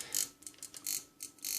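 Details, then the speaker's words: Powercom PCM RPT-600AP UPS (2019) on 220V mains: quick bursts of hissy buzzing and relay clicking; gently heating the suspect capacitors with a lighter silences the relay; dried-out capacitor (10µF 100V / 100µF 35V) causing relay chatter. "Здалека легенько грію. От наше реле змовкає. І замовкла."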